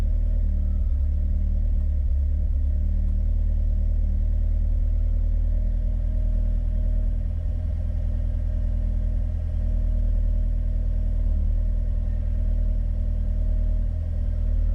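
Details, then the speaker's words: Peugeot 205 GTi Mi16 project car on an aftermarket ECU with Jenvey throttle bodies. A steady low petrol idle sags briefly now and then before recovering; the cause is not confirmed. "you can hear it starting to dip now a little bit so i'm thinking she can you can hear it dipping down"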